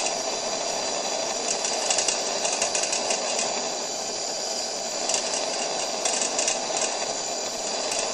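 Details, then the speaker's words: Coleman 625A lantern run at full brightness and proper pressure: steady pressurized hiss with irregular light buzzing rattle from play in the worn eccentric inside the valve assembly, not the burner; noise changes by turning the knob. "when you run it at full brightness at proper pressure it rattles like this and you may think it's the burner it's not because I can manipulate the noise just by turning the knob"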